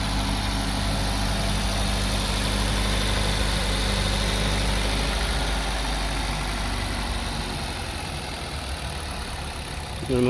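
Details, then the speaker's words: 2023 Maruti Brezza ZXI petrol, registered April 2023, just started and idling: steady even low idle with smooth rumble, no knocks or ticks; normal healthy idle. "చూశారు కదా ఇప్పుడు sound అయితే మొత్తం total గా sound మొత్తం మీకు వినిపించట్లేదు ఎక్కడ నాయిస్ లు గాని అటువంటిది ఏమి లేదండి చాలా నీట్ గా ఉంది కార్"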